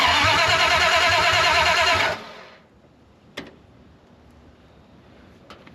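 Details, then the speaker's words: 1974 Dodge W100 Power Wagon, first start after sitting 41 years, open headers, new computer fitted: steady cranking about three turns a second; it catches briefly only as the key is released. Owner suspects the ignition switch, possibly the new computer. "It fired as soon as you cut the key off. The coil must be going bad. It's or I mean not the coil, but the ignition switch because it fires when you let it off."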